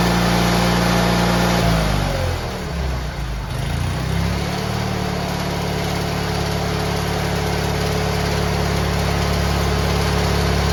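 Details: GT18 garden tractor twin, carburetor refitted and repairs done, air cleaner still off: steady low drone that dips briefly then settles into a smooth even hum; previously it flooded and chuffed smoke past half throttle once warm.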